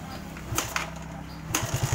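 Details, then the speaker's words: Suzuki Satria FU 150 after rebuild with aftermarket KW cylinder block, valve shims and exhaust fitted, first start: steady low single-cylinder idle, even pulses, a few throttle blips, no knock or rattle; quiet and healthy. "oke teman-teman Bisa lihat sendiri inilah suara dari mesin Satria senyap"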